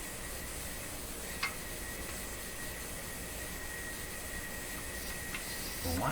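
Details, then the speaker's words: Bang & Olufsen Beocorder 2000 De Luxe tape deck running: thin, steady high whine over quiet hiss; owner suspects something mechanical rubbing in the transport, unconfirmed. "i hear that here that that wine that's a mechanical thing something rubbing somewhere in here"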